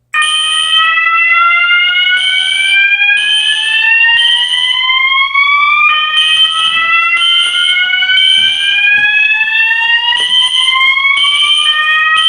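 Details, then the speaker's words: Fire alarm system test: System Sensor i3 smoke detector tested, sounding the SpectrAlert Classic and MASS ADA notification appliances. Rising whoop sweeps about every 1.5 seconds with horn bursts: system in alarm properly. "I don't know why, but that sounds so cool. I don't know why. In my opinion, I think it sounds cool."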